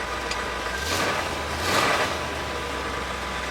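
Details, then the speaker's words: Classic car with 1957 gauges, test start after renewed starter hookup, cables, wires and new marine key switch, charging at 14 volts: steady idle with two short swells of rushing noise over an even beat, no knocking or misses; sounds good. "And fuel gauge is working. The clock is running. And she sounds good."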